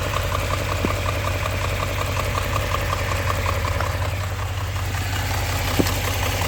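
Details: Engine at steady idle: a sharp, even tick-knock about three times a second over the low engine hum; a clear engine knock.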